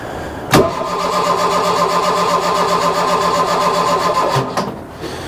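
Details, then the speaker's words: Mk1 Ford Fiesta Ghia 1.1 barn find: even cranking, about four beats a second, for nearly four seconds without catching. Long crank no-start, blamed on a choke not sealing, giving the wrong air-fuel mixture. "all it was was the Coke wasn't sealing properly so the air fuel mixture wasn't the right ratio to get it fired up"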